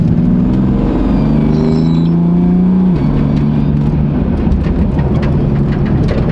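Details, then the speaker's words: BMW M4 while driving: steady mid-pitched whine over the engine drone, changing pitch with revs; heard before only when cold, boost leak guessed but source unconfirmed. "don't know what that whining noise is though that's weird like listen what is that a boost leak I have I have no clue what that"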